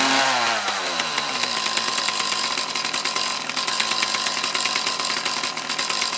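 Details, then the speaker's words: Mantis tiller with two-stroke Kioritz Echo engine, after cleaning around carburetor and fuel lines to cure bogging and a final idle tune; steady, even idle with crisp regular firing, no stumbling or hunting. "okay that seems to be happy again fix that little issue should be good to go for a little bit"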